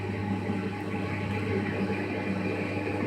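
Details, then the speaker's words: Baymak combi boiler running only hot water gives an excessively loud, helicopter-like noise: a steady low drone with a rough, fluttering roar. It otherwise works normally and shows no fault code. "Sadece sıcak su yapıyor. Helikopter sesi gibi ses geliyor maşallah. Hiçbir sorun yok, çalışıyor ama sesten durulmuyor."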